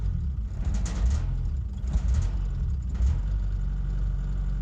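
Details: Diesel truck with mechanical injection pump running on sunflower oil, idle screw raised because it shudders and hunts at low tick over: deep, even rumble held at raised idle with no hunting or surging; steady fast idle.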